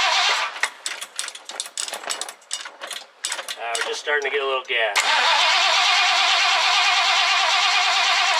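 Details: 1969 Ford Econoline van, last run date unknown, being revived: after reassembly, the throttle return spring refitted and fuel primed, a few cranking bursts, then it catches and settles into a steady, even idle; the engine starts and runs healthily.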